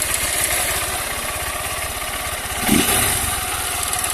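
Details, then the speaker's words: Honda CG 160 Fan with 6,000 km at first cold start of the day: quick light tapping over the steady single-cylinder idle, stopping once oil circulates; owner suspects loose valve clearance, not confirmed. "começou a lubrificar moto já tá parando mas ela só ela só fazia isso só na primeira partida do dia"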